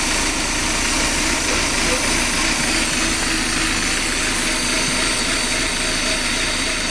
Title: Mazda 323F Rough Idle